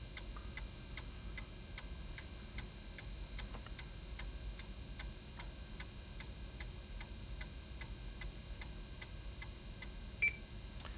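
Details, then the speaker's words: Old computer floppy drive after wiping shed magnetic media off the head with alcohol, reading the test disk that had failed: steady ticks about twice a second over a quiet hum as the head steps tracks; every track now passes. "Oh! Now it's working again! So where we just previously could not access it at all, every track was unreadable, now it's passing with no problems whatsoever."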